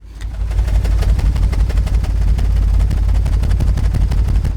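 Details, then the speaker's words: Audi A6 quattro V6 bought at auction: loud ragged low chugging about three pulses a second with uneven gaps; several cylinders misfiring, cause not confirmed. "I think that's a few cylinders short of a V6 everybody"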